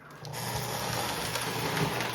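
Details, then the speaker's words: Lionel 671 model locomotive after about 25 years in storage, apparently gummed with old grease, running on track power before teardown: a steady, smooth motor whir with a light gear hum and no binding. It runs normally. "So, it is running It actually sounds pretty good. It sounds pretty good."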